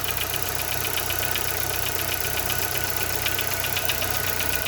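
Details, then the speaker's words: Chevrolet Corsa Montana idling with a rapid, sharp, fairly even metallic tick about two or three per second, present only without revs; diagnoses so far include piston skirt, pin or tappet, and the engine will be opened. "Bom, pessoal, esse aí é o barulho, tá? Que o Corsa tá fazendo, ó. Esse tec-tec,"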